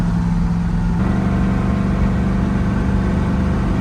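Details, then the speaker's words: Blown Chevy 454 big block in a square-body dually truck, at idle after a drive around the block with good oil pressure. A regular light knock ticks with engine speed over the rumble; rod knock. "There we go. We just took her around the block. There's the knock."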